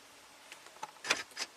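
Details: 2014 Ford F350 PowerStroke diesel with a lock-circuit short blowing the BCM fuse, driver's door actuator powered directly: a couple of quick, sharp clacks as the lock button pops up cleanly; actuator works normally, no short there.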